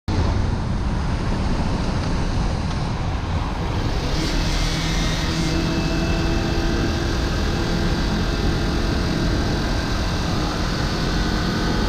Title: Ninja 400 whining noise